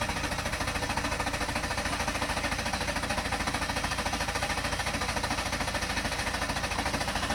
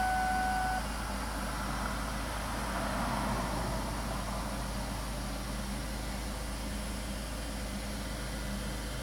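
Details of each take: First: 2000-2007 Ford Taurus/Mercury Sable at about 192,000 miles, a fuse pulled before fuel filter replacement: steady rhythmic starter cranking, about two beats a second, with no catch or firing as the fuel line is drained; crank no start, no fuel. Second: 2000-2007 Ford Taurus/Mercury Sable idling after fuel filter replacement (old filter used for 85,000 miles): a steady, even, low smooth drone with no misses or knocks, the engine running cleanly with no leaks.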